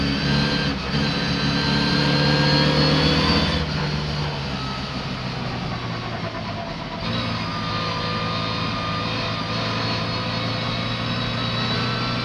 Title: A misfiring 'Bluebell' racing around the oily Silverstone Ice Rink.